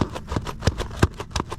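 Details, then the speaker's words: Nano Talon Evo RC plane aileron: regular dull clunks, about three a second, as the servo sweeps; the spar binds inside the hinge instead of moving freely, and the foam is not catching; better after a fix but still clunky. "that clunking sound is The Binding of that Spar on the hinge I mean this should be moving freely there should be no clumps that you can hear it every time it's clunking that stuff"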